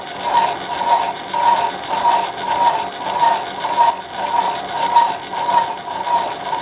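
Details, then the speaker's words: Machining a head adapter sleeve on the lathe/Bridgeport mill, tool fed in to almost 4 thou: evenly spaced ringing contacts follow spindle rotation with no gaps. It is now cutting all the way around. "Now it's hitting all the way around. So we'll just let that dive down and we'll come back soon."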